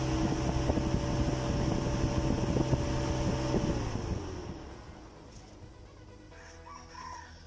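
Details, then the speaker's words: Proton Wira radiator fan with the fan switch bypassed by a direct wire link, ignition on: steady fan whir with motor hum, then it winds down. The fan motor works, so the fan switch is probably faulty. "Okey, boleh dengar bunyi kipas. Dan sekarang nampak kipas dah pusing Okey."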